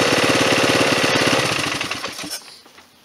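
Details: Rebuilt 1998 Polaris 500 ATV single-cylinder with new head gasket, cam and carb: even thumping idle with a steady rhythm and no knocks, then shut off and coasting to silence. A healthy idle.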